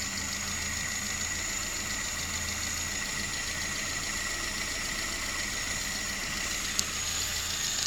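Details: VAZ 21083 (2109), just bought, at idle: faint, quick ticking over a steady idle with a thin high hiss; knock somewhere in the cylinder head, owner can't identify its source.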